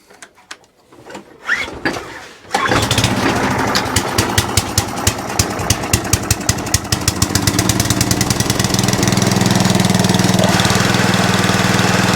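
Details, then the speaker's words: Atco Balmoral reel mower, engine started trying to engage the cylinder: quick rattly ticking about four a second over the run; slight belt chatter. "okay that's about the best we're going to get so it's a bit a little bit of belt chatter going on there on this one here that's all it is um no biggie"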